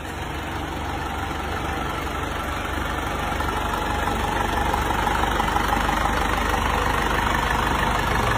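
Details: Diesel engine after rebuild (crankshaft ground, new pistons, liners reversed, new rings, new connecting rod) that previously knocked from piston hitting the head: even idle clatter about three beats a second, no knocking. Normal idle.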